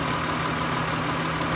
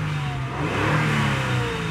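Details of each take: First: 2003 Acura TL Type S 3.2L with P0301, P0302, P0304, P0300 codes, cylinder drop test at idle; steady lumpy idle unchanged when cylinder one connector is unplugged, no rpm drop, so cylinder one is dead, coil or injector suspected. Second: 2003 Acura TL Type S 3.2L after fixing a dead cylinder 1 that caused P0300, P0301, P0302 and P0304 misfire codes, codes no longer returning: clean throttle blip rising and falling smoothly, no stumble or popping, pulling evenly on all cylinders.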